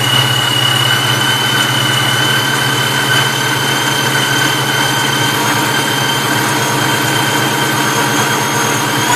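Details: Vortech V-1 T-trim supercharger: steady whirring hum over the idle, audible just off idle but normal at idle and higher revs; owner suspects bad bearings.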